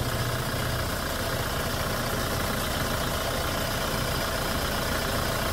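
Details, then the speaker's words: Hyundai Starex GRX diesel after repair of no-start (fuel line leaks, code P1183 cleared, no fault codes), restarted and idling steadily and evenly with no knocks or misses. "So ngayon mga boss, okay na yung Hyundai Starx natin."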